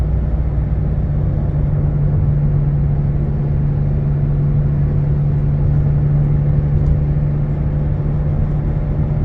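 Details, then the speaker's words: Car cruising at 60 mph: constant deep rumble over road noise, starting after about 35 mph; a wheel bearing is suspected over brake drag, not confirmed. "as you can see, we highway mile speed 60, and just listen to this noise. I thought that this is a brake dragging, but looks like the bearing."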